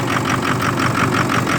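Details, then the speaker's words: 2006 Ford F250 6.0 Power Stroke with a hard start and loss of power, cold after 5-5.5 hours on the block heater, phone on the steering wheel, fuel pressure just over 50 psi: uneven pulsing hiss, four to five surges a second; rough idle, cause unknown. "put the phone down on the steering wheel it's running rough"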